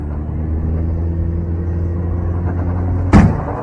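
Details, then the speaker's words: 2024 Toyota Tacoma turbo, recorded from underneath: steady low engine drone, then one sharp gunshot-like bang right after the turbo comes in; front differential failure, suspected ADD actuator piece snapping but possibly internal differential parts; unconfirmed. "Bang. Wow. So that sounds like a gunshot. I mean, I suppose there is a chance that it could be this little black piece that snapped."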